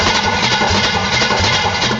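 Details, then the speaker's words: Demonstration engine: even rhythmic churning about four pulses a second, starter engaging the flywheel and spinning the crankshaft and harmonic balancer, no firing; cranking only, before compression test. "so you can hear it's cranking the starter motor over here on this engine is engaging a flywheel that's inside here spinning the crankshaft"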